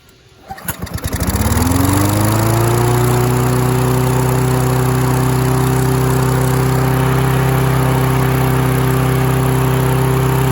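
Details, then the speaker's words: Free Husqvarna mower, throttle cable missing, run about 10 minutes in the yard to clear debris from the carburetor: starts with a few pulls, then a fast steady drone far above normal idle. High idle. "Okay, we definitely need to adjust the idle. I think it's time we get that carburetor apart and check it out."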